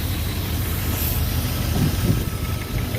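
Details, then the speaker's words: Jeep engine with new connecting rod bearings, reinstalled, idling before warm-up: light, fairly quick ticking over low rumble; owner notes a little tappet noise on both sides; valve tappet noise at idle. "We got a little bit of tappet noise. Yeah, both sides, a little bit of tapper noise."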